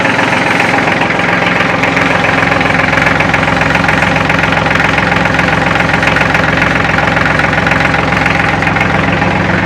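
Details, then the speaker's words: Kubota L3400 tractor diesel, hard-lived former skidder, warm idle: steady rhythmic metallic chatter over the engine note; still needs a manual shut-off but runs far better than the day before. "hear that chatter water still has a manual shut off. But that's a far cry better than it was yesterday when I started messing with it."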